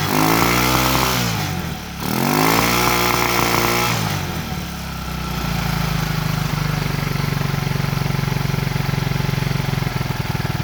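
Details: Racer 164FML 200cc pushrod single-cylinder motorcycle engine with balance shaft, first start after repair: brief blip of revs then settles to a steady, even thumping idle with no knocks.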